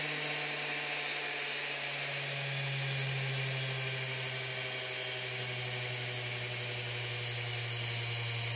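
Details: Big scrapyard brushless DC motor driven through a 30 A drone ESC by a servo controller: steady high electric whine over a smooth low hum, no rattles or grinding; spinning cleanly.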